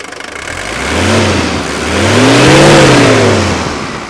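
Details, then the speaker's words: 1983 Mercedes-Benz 240D diesel brought off idle: typical idle rattle, then two clean, even revs with a rising tone that smooths out around 2500 rpm; no knock or miss, normal diesel revving. "now bring it off idle and you'll hear it rev up and it'll smooth out right about the time you get to about 2500."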